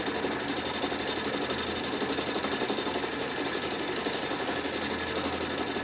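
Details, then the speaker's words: Restored 12-inch Atlas Craftsman metal lathe, deeper test cut in scrap brass, lathe not yet leveled or bolted down: even high-pitched cutting hiss with faint regular pulse about three per second, no grinding or chatter; normal turning cut. "cut that looks pretty nice"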